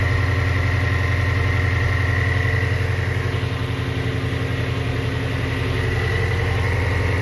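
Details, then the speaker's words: 3,800-mile 2019 Shelby GT350 at first start after Whipple Gen5 3.0 supercharger, catless long-tube headers and oil pump gear install, in neutral: deep steady V8 idle, even lope, faint blower whine, no knocks; good oil pressure, slight exhaust smoke. Normal idle. "here goes nothing guys wow it started right up good oil pressure thank you a little bit of smoke from the exhaust check the belt thank you"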